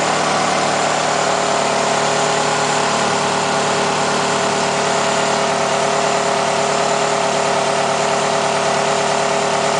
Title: Nissan Altima 2008 2.5S - Engine Noise